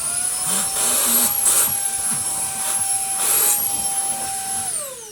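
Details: Beldray Roller cordless vacuum cleaner after washing its dusty filters: steady high whine with a clean mid tone, even airflow rush, then a smooth spin-down at switch-off; motor running normally.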